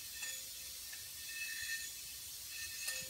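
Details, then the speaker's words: Aluminum 30 scuba tank turned upside down and back: faint metallic clinks with a ringing tail as debris (loose dip tube) slides and rattles inside the cylinder; not damaging to the tank itself. "hopefully you guys can hear that and if you have a personal tank that you're using or even if you rent a tank one thing that's causing that is of course you got debris in the cylinder but now it's not something that's going to damage the tank"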